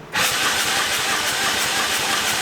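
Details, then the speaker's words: Turbo EFI lawn mower engine with new trigger wheel and crank sensor, sensor sitting off to one side and air gap suspected too large: even cranking about three pulses a second under a steady hiss, never firing; crank, no start. "so our sensor is like it's a little bit off to one side but i put it tighter maybe that's going to work i'm thinking like the gap is too far away maybe"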